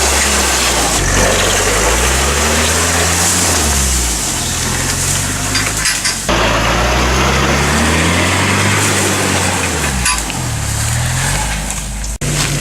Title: Bad transmission noises